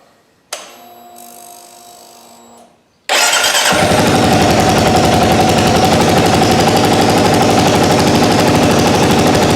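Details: 2022 Kawasaki KLR 650, brand-new bike just after its first oil change: faint starter whir, then the single fires right up into a crisp, even idle thump with no knocks or rattles; sounds healthy.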